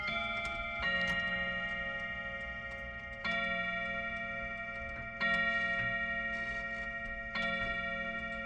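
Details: Chiming clock after its first service, set to chime at 7 o'clock: steady ticking, then clear, evenly spaced bell strikes about two seconds apart, each ringing out and fading; on-time, normal hour strike, may need adjusting.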